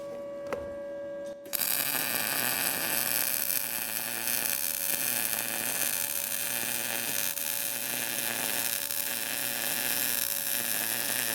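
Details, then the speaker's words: Arccaptain MIG200 inverter MIG welder turned up to 20 V on an inside corner joint; steady, even crackling sizzle with no pops or sputters; 20 V judged the winner for the inside corner, with an awesome weld. "wow that thing welds pretty dang good I think 20 volts is kind of our winner as as far as the inside corner joint that weld's awesome actually"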